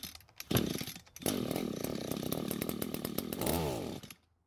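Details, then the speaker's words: Echo GT200R string trimmer, two-stroke: starts fully choked, buzzes unevenly about three seconds and dies off choke; running lean, engine wants more fuel, needs carb low-speed (L) screw richening. "so we just confirmed that it does start while fully choked and dies when it's not that means the engine wants more fuel to stay running"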